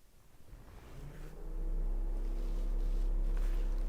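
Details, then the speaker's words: Honda/Acura radiator fan commanded on through a scan tool's actuator test, no trouble codes stored: a low whir builds over about 1.5 seconds, then settles into a steady, even hum. Fan working normally. "Radiator fan. That's a good one. Let's check to see if my radiator fans are coming on."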